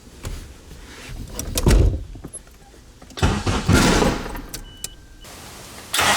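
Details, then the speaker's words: K24-swapped Nissan Cefiro turbo, first start attempt on a borrowed base tune with changed cam/crank sensor settings: starter cranks in bursts with uneven catches, lots of fuel, seems to lock up, never fires; ignition timing suspected off. "A lot of fuel, sound like, right? Sounded like it was gonna go. See, that's what's weird. Timing's off or something for sure."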